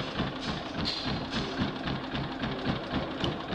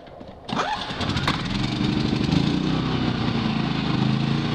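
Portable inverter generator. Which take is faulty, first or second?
first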